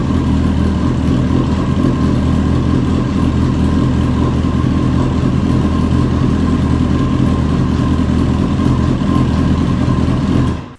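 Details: Hornet beginner project motorcycle on its first start after the build: uneven, lumpy idle that stumbles now and then with no steady rhythm, misfiring and smoking; owner thinks the idle knob needs adjusting.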